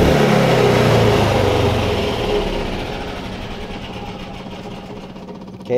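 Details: Yamaha G29 golf cart with new stop switch installed replacing the faulty one: small engine fires, revs and winds down smoothly with an even beat; normal start and run after repair.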